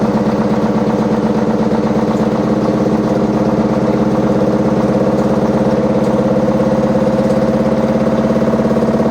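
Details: Very noisy washing machine: a heavy, steady rumble with rhythmic thudding about twice a second over a low hum, like a load of bricks inside; cause not obvious.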